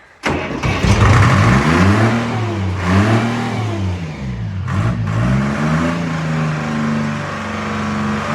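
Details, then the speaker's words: Old Detroit Diesel woodchipper, pulled out of the weeds, belts and cover removed, started on a jump pack: a quick crank and it catches at once, settling into a steady, even low drone with no misses or knocks; normal start and idle. "well that was too easy [Laughter] it's like it was she shut it off yesterday"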